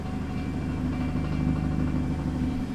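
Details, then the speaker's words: VW Caddy engine at tick over, sounding good otherwise; loud low idle with busy buzzing rattle over the exhaust note from a loose rear exhaust, with a straight-through exhaust fitted. "It's got an obvious exhaust rattle on the back, as you can hear that."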